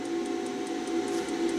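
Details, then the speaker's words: Wells Gardner K7400 25-inch arcade monitor chassis, powered up after a repair attempt. Steady quick ticking, about five per second, over a faint hum; it never comes up. The power supply is ruled out and a shorted HOT is suspected, not confirmed. "So here we go, cross our fingers. 1, 2, 3. Ah, nope. Interesting. It's back to ticking."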